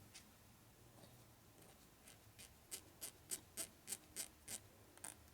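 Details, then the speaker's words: 1941 Harley WLD 45 flathead 56ci stroker engine build: the check ball is pushed repeatedly, giving crisp light clicks, three or four per second, each seating cleanly; the check ball is working. "ball appears to be working. Oh yeah, I hear it."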